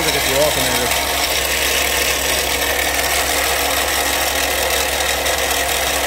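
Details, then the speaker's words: Toyota Sienna idling: loud, steady grinding whir over the idle, traced with a screwdriver stethoscope to the alternator, confirmed by removing the belt and spinning it by hand; alternator replaced. Failed alternator noise. "I'm taking a screwdriver up to my ear it sounds like the alternator so I'm pretty confident I'm going to take the belt off and see where we wind up there"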